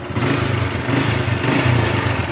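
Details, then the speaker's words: Grand motorbike idling rough with a busy, uneven clatter over the beat; suspected worn piston and cam chain needing replacement, camshaft and rocker arms to be checked; piston slap and cam chain rattle. "recommended gan putih-putih kalau analisa saya ini seher nya sama rantai keteng kita ganti nanti kita cek juga bagian noken as sama Templar apa saja"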